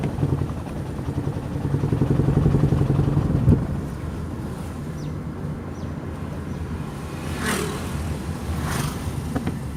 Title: Toyota Prius Hybrid Check Engine Misfire Faults